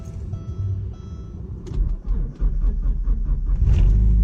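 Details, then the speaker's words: Porsche 944 cold start: cranking catches into a shaky, uneven rumble that hunts for a couple of seconds before warm-up; rough cold start, cause not known. "see it even it wasn't happy about that either oh yeah yeah all right let's let her warm up here then we'll go for a drive"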